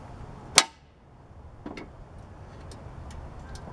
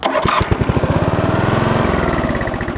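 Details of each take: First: Lawn mower starting-circuit troubleshooting: one sharp safety-switch click, then faint ticks with no starter relay clunk, unlike a working switch; owner suspects this switch, not confirmed. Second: Riding lawn mower that won't start, starter solenoid jumped with a screwdriver, brake engaged, neutral, blade off: strong, even chug of the starter spinning the engine at steady pace; starter cranks healthily, fault lies elsewhere.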